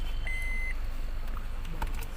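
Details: Honda Amaze after the fix for a door-open/seatbelt indicator beep that was not working: a clear single high electronic beep over a quiet cabin hum, so the door-open warning chime now sounds as it should.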